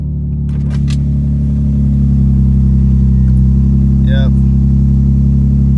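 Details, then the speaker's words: 2005 Infiniti G35 that was misfiring, after new spark plugs and new ignition coils: smooth, even low idle hum with no stumble or skipped beats, misfire fixed by coils; normal idle. "definitely i am so happy that sounds so good new ignition coils"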